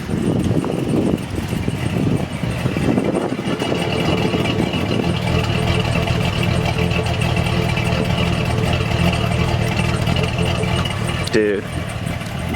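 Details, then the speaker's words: Chevy Silverado with 284K miles, just fitted with a Chopacabra cam and new springs: deep, uneven lumpy idle with a firm low rumble and a brief blip; engine running right. Normal cammed idle. "In case you were wondering what a cammed Silverado stock cammed Silverado sounds like."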